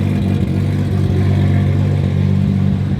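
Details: Nissan R32 GTR after fixes with new ID 1700 injectors, power steering rack and pump, before maiden drive: steady even low idle, smooth rhythm, no misses or stumbles; running cleanly and healthy.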